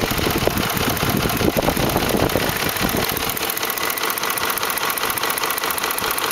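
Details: 2004 Ford F150 5.4L 3V V8 at idle: loose, uneven slapping tap as the timing chains slap against the engine block from failed tensioners; fix was replacing cam phasers, timing chains and tensioners.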